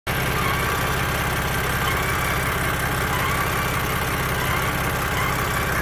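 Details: 2015 BMW F80 M3, 6-speed manual, 64K miles, stock, with a thin, wavering whine at idle, only once warmed up and driven; louder and more frequent on some days.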